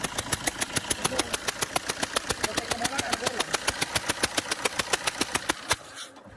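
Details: Fiat Multijet diesel idle with a sharp, even ticking about three and a half times a second until shutdown; compression leak from a faulty injector seal.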